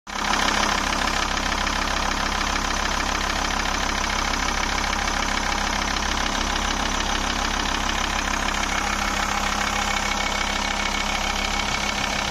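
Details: Volvo 850 straight-five diesel, blow-by check: steady even five-cylinder clatter at idle with no puffing or breathing noise; no blow-by, engine healthy.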